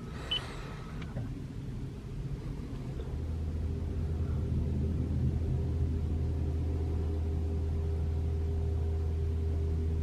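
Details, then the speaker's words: 2021 Toyota RAV4 Prime SE in EV mode, 57°F outside, heater Auto, AC off, fan to three bars, fourth reproduction attempt: low heat pump hum rises after seconds, pretty loud but steady, not the infamous loud noise; normal. "I can hear the heat pump humming it's not doing anything it's pretty loud but it's not making that sound"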